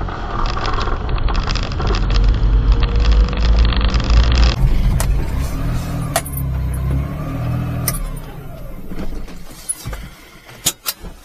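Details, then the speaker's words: Azdome PG-16S dual dash mirror camera fitted in a mini truck, while driving: fast light rattle, about four taps a second, over heavy road rumble from the camera's loose power button. "Sorry about that rattling video. We gotta figure out where that noise is coming from now. I had a lot of video I couldn't use because the rattling noise was just too annoying."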